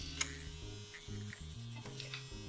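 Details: Mac 800K floppy drive M0131 during ejection-mechanism repair with a replacement gear fitted: short uneven whirring bursts that stall and restart; small eject motor labouring against a binding gear train, first gear suspected, axle possibly dirty.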